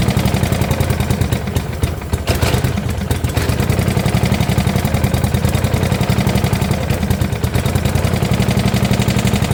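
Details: 1972 Gravely 816 with Kohler Command 18, running after carb modification: loud uneven clattering knock about four a second over rough idle, possibly a rod. Motor judged pretty much blown up, likely why parked; power steering not working.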